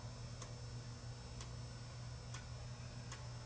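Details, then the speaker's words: Sony HDR-FX1 camcorder in forward play only: faint sharp ticks about once a second over a low motor hum; reverse is unaffected, and a broken gear in the take-up hub is suspected. "Almost sounds like maybe a broken gear or something. You know, but it's only affecting it in the forward direction. Could be the take-up hub."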